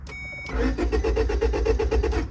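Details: 2004 Honda Civic that won't start, clicking at the fuse box from a part making poor contact, fuel low: starter spins the engine evenly at about seven beats per second but it never catches; crank-no-start.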